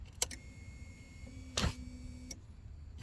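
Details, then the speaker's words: Vehicle under electrical repair: power jumped to the ignition-side circuit brings a click, then a steady low hum for about a second that cuts off. This is the fuel pump popping on and priming normally. "Heard the fuel pump pop on. So then I'm like, hey, we got something."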